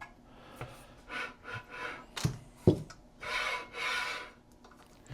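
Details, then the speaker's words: Newly assembled 30-inch YKXONFA ceiling fan with light, spun by hand: repeated scraping swishes swell and fade with each spin as something rubs; owner unsure which step was missed, plans to disassemble. "sounds like it's rubbing. It's making a lot of noise when I spin it around."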